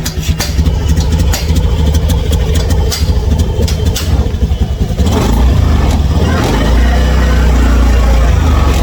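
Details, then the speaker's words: Honda Scoopy scooter with hesitation complaint: engine revs with an uneven, stumbling, noisy note, struggling to climb and feeling heavy and weak; hesitation fault, cause not yet found. "Kalau saya kadet terdengar suara berisik kayak gini. Ngiteng tuh."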